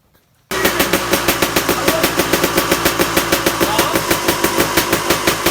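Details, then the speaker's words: Suzuki RM250 two-stroke dirt bike, first kick start after rebuild, on choke, idle not yet set, cold and warming up: crisp rapid popping about six beats a second holding steady; sounds good, healthy warm-up. "idols not set yet so I just want to get some heat into it we're not hot enough"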